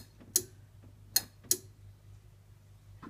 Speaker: you should hear the relays click when i switch the lights on there you go that's the relay clicking in